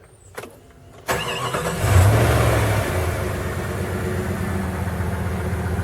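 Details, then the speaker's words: Jeep ZJ 5.2 L 318 V8, warm after a long drive: short crank, catches within a second, settles to a steady even idle; healthy warm start, though the engine starts hard below about 50°F. "now listen to this it's gonna crank perfect right now I just drove it from arcade all the way back over to our Mirchi"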